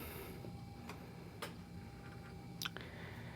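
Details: PowerBook G3 Pismo under repair, first power-on with an untested hard drive, ending at the Happy Mac: faint steady spin hum with a few light seek ticks and no clicking or grinding; the drive sounds healthy.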